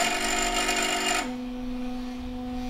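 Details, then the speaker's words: HyperCube 3D printer build, Z-axis stepper driven by commands from Pronterface: steady electrical buzz with clear tones that drops in pitch and holds while the lead screw will not rotate, a binding noise; motor hums without turning. "this lead screw is is not notating and just making a binding noise"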